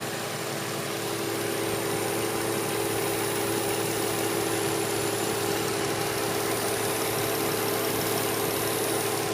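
Even idle with a steady mid-pitched drone and a hiss over it that never changes; could be an intake air leak, unproven. Cause suspected, not confirmed.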